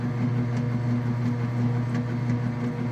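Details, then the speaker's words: Whirlpool direct-drive top-load washer with a two-part agitator in a working demo; a low steady motor hum with a soft, regular back-and-forth swish, no grinding or banging; agitating normally. "And this pretty much covers the washer. Okay, you can hear it agitating."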